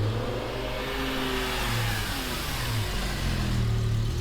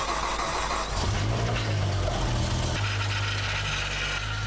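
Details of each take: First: BMW M6 V10 just rebuilt and running again after the new clutch was reprogrammed: a strong, clean pull under acceleration with an even rising note and no knocks or misses. Normal, healthy engine sound. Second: BMW M6 V10, first start after engine rebuild and reassembly with battery reconnected: cranks, catches after a second, settles into an uneven, slightly lumpy idle; sounds better than before but unexplained noises remain, cause unknown.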